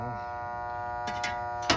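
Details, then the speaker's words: Outdoor AC condenser unit on a hot midsummer day: steady electrical buzz with no fan whoosh, fan blades not starting even after a stick push, then metal clunks; bad capacitor suspected (last replaced about 12 years earlier). "And sometimes that's enough to kind of kick it into gear, but not this time. Still buzzing. Fan blades aren't starting up."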